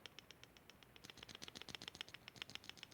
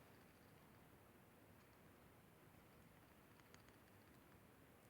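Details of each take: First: Kawai keyboard bought in 1993, key with a loose internal weight; fast, light metallic rattling clunks as the key moves up and down, not the felt, fixed by resetting the weight pins with hammer and center punch. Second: Kawai keyboard bought in 1993, after its loose key weight was tapped back in with a punch: the shaken key gives only faint soft ticks and no clunking rattle; the key no longer rattles.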